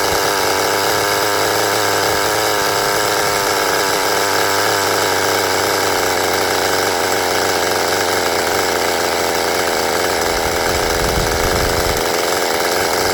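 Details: Restored 20-year-old HPI Nitro Rush Evo nitro buggy, new glow plug and fuel, first start with throttle trim raised, still warming up: high buzzing engine with slightly soggy, burbling note; running a bit rich, needs a little fettling.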